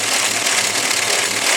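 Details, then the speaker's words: Chrysler Slant Six with a big solid-lifter camshaft, idling: steady, even, rhythmic sewing-machine ticking over a somewhat rough idle, rough because of the big cam. Normal solid lifter tick. "what a solid lifter camshaft Slant six sounds like and you can hear it it's a very rhythmic sewing machine type sound"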